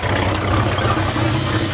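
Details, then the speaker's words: Outboard boat engine, sitting since August, cold start during winterizing, warming to operating temperature: steady low idle rumble with soft hiss from the carburetor primer left open, giving extra fuel instead of a fast idle. Normal cold-start idle. "now you hear that hissing noise that's the primer inside the carburetor open giving the engine more fuel so you don't have to run it at a fast idle"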